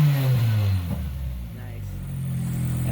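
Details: Toyota 4AGE 20-valve black top with individual throttle bodies in a Geo Metro/Suzuki Swift, after long sitting, blipped from under the hood: revs dip then climb cleanly, crisp even bark, no knocks or misses. Revs freely, oil pressure and temperature good.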